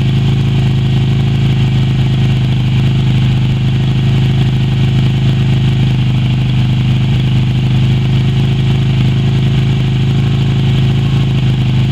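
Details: Yamaha Virago XV250 V-twin revived after 6 years in storage, black old fuel replaced with fresh fuel and power restored: steady, even idle with a low, smooth pulse and no knocks or misses; normal, healthy idle.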